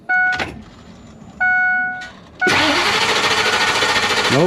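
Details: RV that started once then wouldn't restart after shutoff, despite new fuel filter and new coil: warning chimes then steady fast cranking with no firing, crank no start; a ground cable is to be replaced next.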